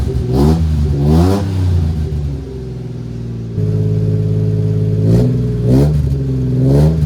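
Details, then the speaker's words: 1993 Suzuki Carry mini truck revving with a new cheap aftermarket muffler replacing the rotted, likely original exhaust; deep smooth note swelling and dropping with each blip, no rasp or rattle, like a Civic but deeper. "got a pretty deep tone to it uh it's kind of a more enjoyable deep tone than the raspy old Muffler though [Music] yeah it kind of does sound like a Roy style Civic but a little bit deeper of a tone"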